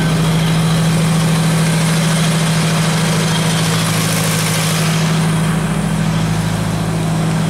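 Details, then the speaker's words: Genie boom lift on a cold site, just started after about 5 minutes on a NOCO GB70 boost pack: steady even idle, no knocks or misses, charging at 14.4 V; normal idle. "holy started no no wow that was freaking awesome 14.4 volts"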